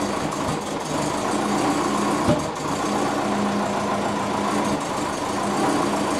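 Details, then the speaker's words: Twin turbo Subaru Forester (GT35 and TD05), first move after rebuild and new ECU, reversing out, coolant 86°C: uneven, lumpy idle with occasional thumps, AFR off 14.7 target; owner suspects cold transmission or vacuum leak. "it's out it's not happy though i don't know if it's just because the transmission is cold"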